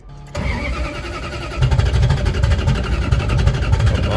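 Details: 1967 Plymouth Valiant: starter cranks about two and a half turns per second with uneven pulses but never fires; owner suspects spark plugs fouled by fuel pressure issues, ballast resistor then replaced without fixing it, reluctor gap being adjusted.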